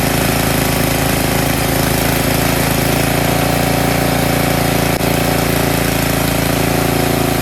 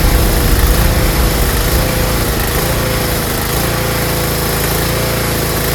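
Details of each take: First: Snowblower engine after its clogged carburetor pilot jet was cleaned to fix surging: holds a steady, even note with no rise and fall in speed and no hunting; normal steady run. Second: Tecumseh snowblower engine idling unevenly, pitch sagging then settling; surging or hunting at idle caused by a clogged carburetor pilot jet, fixed by cleaning it.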